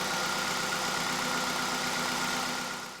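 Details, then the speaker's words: Hyundai i30, about 2012, 115,000 miles, engine management light on, petrol engine idling unevenly with a stumbling beat about four times a second and shaking from a misfiring cylinder; scan shows cylinder two misfire, coil-on-plug ignition suspected. "well i don't know where it's uh gonna come out on the microphone but you know it's clearly missing and uh the engine's shaking about a year"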